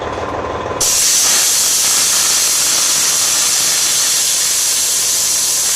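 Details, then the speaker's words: Class 1 truck pre-trip inspection: the wet tank is identified as the tank whose draining does not affect the gauges, then drained completely. A loud, steady air hiss starts abruptly and holds evenly. Normal air tank drain. "the Second Step here is to drain the wet tank first you have to identify the wet and that's easily done by simply draining a little bit of air from each tank finding out which one uh affects the gauges"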